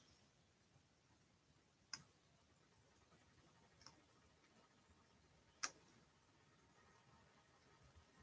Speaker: every time somebody in the building uses hot water we have pipes that run through our ceiling from the hot water heater which is on the other side of our wall over here and they when it flows through the pipes it causes the pipes to make this tapping rattling noise